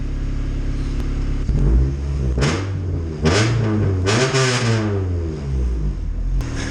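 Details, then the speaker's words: Honda CRX with a B20V engine after installing decapped truck injectors for E85; fuel map possibly cut about 10–15%. The engine blips up and settles back evenly with a smooth note, no misfire or stumble; runs like factory. Normal running. "You can listen to hear how smooth this thing is. Listen how smooth that engine is. Just butter."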